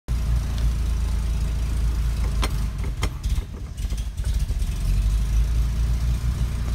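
Older petrol engine idling low and uneven, the beat wavering and dipping mid-clip; rough, unsteady idle, cause not pinned down. Cause suspected, not confirmed.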